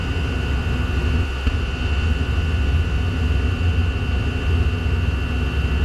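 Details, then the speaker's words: PT-5 Chinese diesel heater giving low temperatures and going out, restarted by choking: low, rough fluttering roar with steady high whistle, only keeps burning with air inlet partly covered; runs too lean. "in order to keep it going I'm having to keep my fingers over the air Inlet you'll hear the noise stop and you'll see the temperature drop"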